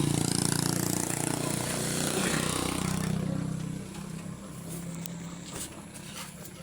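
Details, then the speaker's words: Honda CB125 single after timing chain repair: engine runs evenly with steady beat then eases down, no chain rattle or clatter; earlier noisy clattering engine now fixed. "Okay na Nawala na yung kalag niya yung ingay ng makina"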